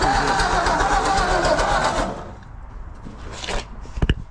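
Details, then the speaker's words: 1954 Ford F250 truck, long-sitting, converted to 12 V negative ground, fresh battery, choke cable stuck: starter churns at about four even beats a second for two seconds, then stops; engine nearly catches but does not start. "That sounded like it wanted to run."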